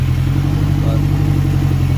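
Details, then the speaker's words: Acura RSX after fixing a stalling problem traced to one faulty wire, MAP sensor still unplugged: steady, even idle with unbroken low hum, no stumbling, ticking or hunting; running cleanly. "So yeah, so as you can see, it fires up and sounds really good."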